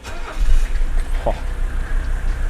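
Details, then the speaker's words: 1983 Mercedes 300TD diesel starting after an oil and filter change, glow plug light not working so glow time is guessed: fires right up, settling into a steady, even low rumble with no misses. "fires right up every time this thing rules"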